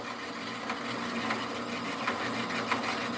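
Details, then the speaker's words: Harbor Freight saw cutting rod, run dry without cutting oil: a rough cutting rasp with a sharp knock about every half second, caused by a missing saw blade tooth. "I got a tooth missing. Listen. Y'all hear it? Y'all hear it knocking?"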